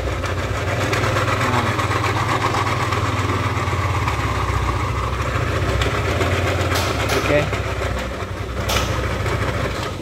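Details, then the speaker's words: Lexi scooter engine started and idling with a very harsh, uneven clatter; worn, broken camshaft bearing suspected as the main cause. "suaranya seperti itu sangat kasar sekali ngeri ya untuk kedengarannya"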